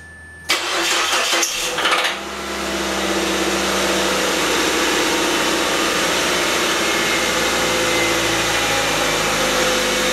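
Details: Car engine knocking at idle with a fast, steady knock tracking engine speed; it began as ticking while accelerating to 60 and was then driven about 6 miles; the owner suspects an overheated, loosened rod bearing.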